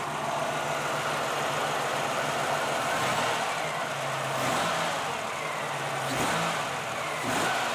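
Even, steady idle with a smooth low note and a couple of light throttle blips; the engine settles cleanly and sounds healthy.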